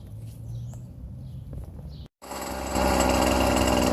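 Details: Scrap-yard two-stroke weed-wacker cultivator, on choke, with fuel lines and primer bulb rotted and a new fuel filter fitted; lower compression from being run on straight gas: catches after a short gap and runs a quick, buzzy, fairly even high idle.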